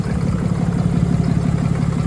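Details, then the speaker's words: 2022 Ram 3500 diesel, heavy hot-shot towing, third engine, bottom-end knock suspected: muffled steady cold-start idle with even low pulse, no knock; turbo exhaust brake closing for warm-up, normal. "right now you hear a muffled sound that's normal that's the exhaust brake kind of choking itself with it turbo exhaust brake kind of shutting down choking itself out a little bit to uh warm up"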